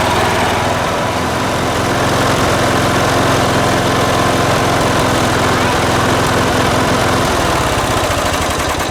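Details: Late-1980s John Deere RX95 riding mower, after reconnecting the fuel line to the carb: single-cylinder engine holds a steady, even beat at constant speed with no misses or surging; runs cleanly and healthy.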